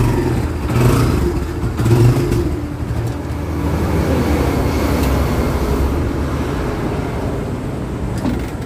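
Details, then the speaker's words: Motorcycle started cold, hard to start, needs choke and stalls after starting: runs low and uneven, beat wavering and surging instead of holding a steady idle; cause not yet determined. "Kaya lang pag gumaga talagang hard starting. Tapos, yung parang nagpupuloy yung niya. Yung andar."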